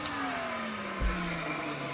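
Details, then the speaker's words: Vintage Hoover Junior 119 upright vacuum, first switch-on, no belt fitted: smooth motor whine, then rough dry tone as it winds down after switch-off; dry motor bearings suspected, not confirmed. "Bearings are dry. It sounds like. Do it again for you quickly. Sounds alright when it's on, and then turn it off."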